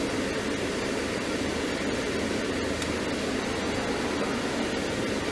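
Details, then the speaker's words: 2002 Mercedes-Benz C230 Kompressor (W203) HVAC, after replacing the stepper motor and its broken lever arm, AC on: only a smooth steady blower rush, no clicking from behind the dash; repair successful. "all right so it looks like it's working now so I am happy for that"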